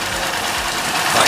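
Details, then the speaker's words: Tohatsu 6 hp outboard, which had bogged under acceleration and load, after replacing the diaphragm fuel pump and warming up a few minutes: it settles into an even, steady idle with no stumbling or misses and sounds much better. "Alright everybody, so we have the engine cover back on, fuel pump's on, we've let it idle for a few minutes. That's really all it took. As you can see, sounds much better."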